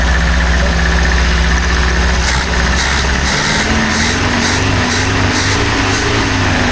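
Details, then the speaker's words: 1976 BMW 2002 (automatic), first start in years after restoration, no coolant in it: rough fast idle, pitch climbing and wandering instead of settling; owner suspects many vacuum leaks cause the high idle. "Sounds good. Lots of vacuum leaks everywhere you look, so that's why it's running so high."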